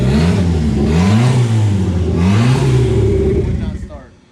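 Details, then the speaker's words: Car revving after finally starting again following about two hours of no-start: engine blips up through several clean revs and drops back smoothly, no misfire, knock or rattle; sounds healthy. "go for it let's try it you hear how good it sounds we've been trying to get the damn car to start again for like the last 2 hours"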